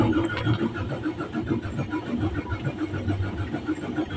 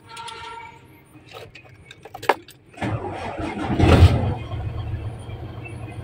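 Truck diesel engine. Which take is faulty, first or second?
first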